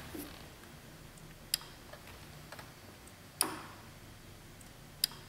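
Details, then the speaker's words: 2005 Chevy Trailblazer with code P0410; a scan-tool activation test of secondary air relay 55 in the fuse panel gives three crisp clicks about two seconds apart. The relay pulls in normally. "we can hear that firing so we could have skipped checking that fuse by doing this activation test"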